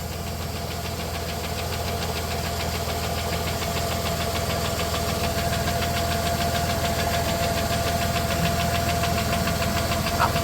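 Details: 1993 Plymouth Grand Voyager SE, revived after 18 years parked, at idle: fast, fairly regular light knock near three per second over the engine. Owner suspects the cam is getting eaten up, and the crank shows a slight wobble. Engine ticking at idle.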